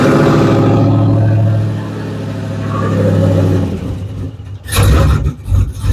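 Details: 1985 Chevrolet Caprice Classic with a 5.3 LS swap on a fresh build, about 2,500 miles, hot, at its first oil change and needing spark plugs soon: strong V8 rumble climbing smoothly on throttle and dropping back without knocks or misses, 38-39 lb oil pressure; running healthy.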